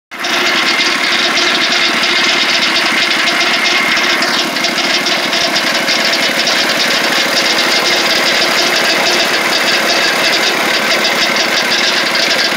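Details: Lucas Mill 618 sawmill under refurbishment, engine running: right-angle gearbox makes loud steady metallic rattle and whir; has oil inside but lots of gear lash; owner unsure whether rebuild needed or normal.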